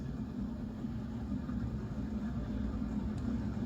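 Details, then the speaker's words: Leading Edge Ring Fan Hi Tech II 56-inch ceiling fan, tested on capacitor bank and solid-state speed control: only a faint smooth motor hum, no buzz, tick or rubbing; judged silent, normal running. "way quieter than I thought it's not buzzing away so far it's silent"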